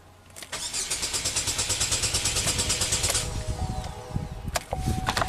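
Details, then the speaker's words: 2012 Chevy Equinox, crank no-start after an aftermarket alarm was installed and removed, codes P0615 starter relay circuit and CKP variation not learned, no injector pulse: steady cranking about three turns a second with no firing; cause suspected, not confirmed. "So, interesting. This thing cranks up fine."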